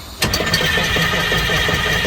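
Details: 1982 Wanderlodge FC bus diesel after injector pump replacement, first start attempt: steady, fast cranking that never fires; shut-off solenoid suspected of not getting electrical power, not confirmed.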